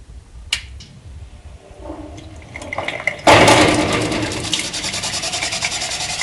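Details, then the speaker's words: Water hammer at a household sink as the flow rate is adjusted: water rushing, then a rapid, uneven rattle of sharp knocks about three a second from pressure waves in the supply pipe. "all right this is a water hammer that somebody is observing at their house in the sink"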